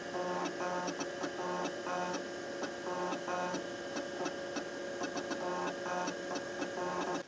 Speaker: but now it is actually starting up off the floppy disc and it makes a gnarly